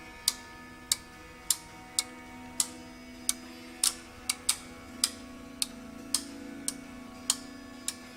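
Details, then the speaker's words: OsaiRing I/O module being tested for a red light not lighting and a slow warm-up: crisp, evenly spaced relay clicks as each input is pulled to ground; all relays energize and the LEDs light normally. "first like to go through all the inputs to make sure that the relays are energizing you can hear them energize and that all the LEDs turn on"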